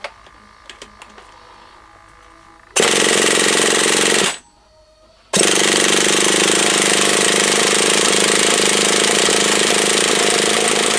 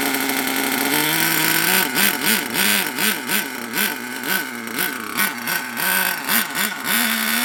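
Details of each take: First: HPI Savage SS nitro RC truck, first start attempt after years in a shed, primed with glow starter on: high-pitched buzzing bursts that catch, cut out after a second, then roar again; engine fires but won't stay running, cause unconfirmed. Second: HPI Savage SS nitro RC engine after years in a shed, crankcase filled with penetrating oil and possibly old nitro: steady buzz with quick throttle blips rising and falling cleanly, deep and throaty; picks up crisply and runs well.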